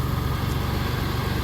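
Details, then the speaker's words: Mitsubishi 3000GT VR4 that had idled very rough from too little fuel, now with a 3SX fuel pump hotwire kit fitted to give the pump a full 12 volts: deep, steady, even petrol idle with no stumbles; normal idle. "The car runs and dries now. Well, I don't know if it dries now, obviously. But it runs now and it idles smoothly."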